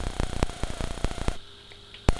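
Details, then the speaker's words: X-ray tube head with anode and one heater side on a high-voltage supply at 10 kV: sharp irregular arc clicks over a low hum confirm air inside (white getters) and lost vacuum. "10 kV you can hear the clicking noise of the arc inside the tube so we've confirmed we've lost the vacuum and we have a paper wieght rather than an x-ray tube"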